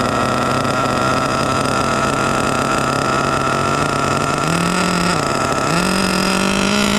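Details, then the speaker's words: HPI Savage 21 with rebuilt Dynamite 28 nitro engine, power switch bypassed as the suspected cause: holds a high scream, pitch stepping up and not falling back, not stopping on brake; engine runaway, not returning to idle. "Something's going on. Got to shut it down. Something's going on with this bad boy right here. It felt like uh I gave a break and it didn't want to stop."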